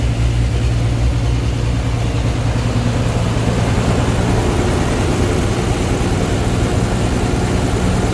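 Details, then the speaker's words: 12-valve Cummins diesel truck after new injectors, lines bled, in neutral: heavy clatter with uneven, lumpy beat around 100 pulses a minute, still smoking badly, pump adjustment changes nothing; rough running, injection pump suspected. "okay guys if you can hear me she's still smoking real bad and i go over to the pump doesn't really change anything i'm going to say we still have a pump problem"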